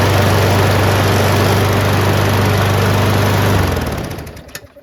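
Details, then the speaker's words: Craftsman 22" self-propelled mower with Briggs & Stratton Quantum 6.75 engine after a carburetor clean, blade adapter change and draining overfilled oil: steady even single-cylinder beat, no surging or shake, then shuts off cleanly. "Absolutely perfect. Didn't take us very long at all. Just did a carburetor clean, didn't have to replace it."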